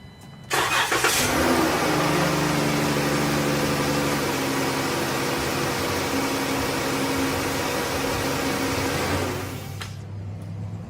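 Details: 2013 Dodge Grand Caravan after intake manifold gasket replacement, first start after reassembly: quick clean start settling into a steady, even idle, then shutdown; no stumbling, hissing or misfire.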